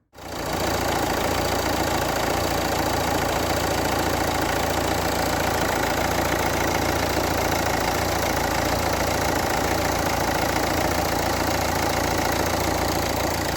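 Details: Renault 1.5 dCi K9K diesel after fitting a replacement part during engine noise diagnosis: steady, even diesel clatter at idle with no knock or squeal above it; normal idle.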